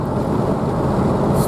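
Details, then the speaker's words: Truck after front-end repair, driving to town: steady road and engine rumble with some wind, no clicking or knocking from the front wheel anymore; wheel bearings not replaced, owner thinks they are fine. "Just run to town, and I don't hear that clicking anymore."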